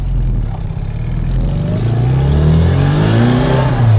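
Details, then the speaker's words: Classic Mini after replacing the HIF44 SU carburettor with a larger one, on a short test drive: engine climbs cleanly through the revs under load, crisp and strong, no bogging; pulls well. "Oh, yeah. Feels great already. This is going to be a a quick short test drive cuz I don't have any carpets in or anything. Wow, what a difference this has made."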